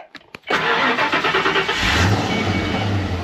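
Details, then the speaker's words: 1992 Ford Mustang LX 5.0 convertible parked over 10 years, new fuel sending unit, fuel pump checked: a couple of short cranks then clean catch, idling down evenly to steady idle, EGR credited. "Listen to that. Even idling down perfectly. That EGR doing its job."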